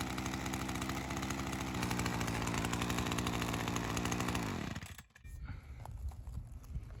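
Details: Ryobi CS30 two-stroke string trimmer, HiPA aftermarket carburetor weeks after install, slightly readjusted after settling in, ethanol fuel sitting in it: even buzzy run at steady speed, then winding down at shutoff; holding up. Normal running.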